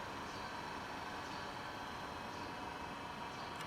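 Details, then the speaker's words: Induction motor under voltage speed control, running at reduced 100 V supply; steady even electrical hum, constant pitch, no knocks or grinding, healthy motor turning slowly. "So it's 100. Then let me measure the revolution per minute. So you can also hear the sound."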